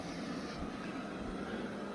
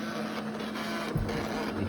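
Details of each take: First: Eufy Robovac after fitting a second spare side brush motor: quiet, even whir with no catching or grinding, both side brush motors now running smoothly; the first replacement motor was suspected faulty. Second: Eufy RoboVac side brush motor lacking power to turn the brushes, giving a strained uneven whirring hum with faint buzz. It is labouring and losing speed compared with the working motor, so the motor is failing.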